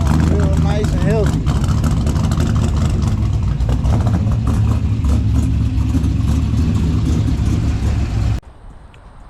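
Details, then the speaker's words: 6.0 LS V8 swap first run on a base tune, plugs found badly fouled: loud V8 runs lumpy with an uneven, stumbling beat and misses under revs; rough running from fouled spark plugs. "now I just pulled the plugs on them and they were fou pretty pretty bad but I mean it's running pretty terrible right now and it's also on a base tune that just ran for the first time"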